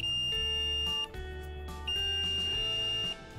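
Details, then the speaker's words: Nintendo 3DS that won't charge and hisses constantly, board out, multimeter continuity test on a coil compared with a donor board. Two clear, steady beeps; the coil beeps in one direction and is judged good. "it should be from here to here we should be getting a buzz from here to here also nothing"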